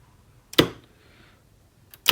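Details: Star/delta forward/reverse motor starter on an FX5U PLC, relay outputs bridged by hand to test each contactor: two crisp, sharp clicks in a quiet room, one energising and one releasing; clean, healthy contactor action.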